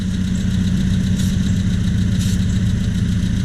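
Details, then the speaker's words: 1978 Triumph Spitfire that loses power when warm, after a new distributor and new intake/exhaust manifold gasket: smooth, even idle at about 800–900 rpm with no hunting; brake-clean spray shows no vacuum leak; normal idle. "And there we go, about an 800, 900 RPM idle."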